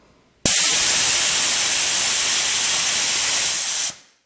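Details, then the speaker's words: Porter Cable 150 psi air compressor: safety valve pin pulled to drop tank from 90 to 60 psi; loud steady hiss for about 3.5 s then stops — normal pressure release. "we're going to pull this pin out to reduce some of the pressure we're going to take it down to about sixty"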